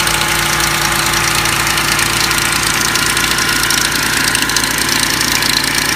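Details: 2004 Lincoln Navigator at idle with a busy metallic rattle and hiss riding over the running note; timing chain noise.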